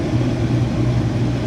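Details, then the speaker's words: Bean head on a combine run wide open after prep, with the reverser working; steady low drone with coarse rumble, much shake and vibration that smooths out once on the ground; header shake and vibration. "Fire it up, right wide open. It's got a lot of shake and vibration to it, which I don't like, but once you get it on the ground, everything's running smooth."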